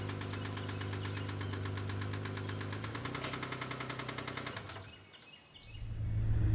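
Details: 2002 Isuzu Trooper LTD engine, 140k miles, at idle until shutdown: sharp regular deep knocks around 210 a minute; rod knock from oil starvation after low oil level, engine to be replaced.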